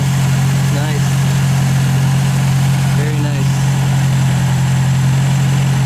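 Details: 1951 MG TD restarted hot in neutral, once a heat shield had been fitted against vapor lock; the fuel pump builds pressure, then a smooth, even low hum with a steady beat and no misses or stumbles. Healthy warm idle.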